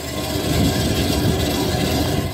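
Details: Roof turbine vent spinning with a continuous dry, rough rubbing squeal and rumble; suspected dry, worn bearing, quieted somewhat by spraying penetrating lubricating oil.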